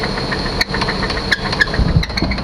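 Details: 1998 Chevy Suburban V8, first start after sitting 8 years without pre-oiling: heavy, uneven knocks through a lumpy idle. Owner suspects a bad main bearing. Engine knock at idle.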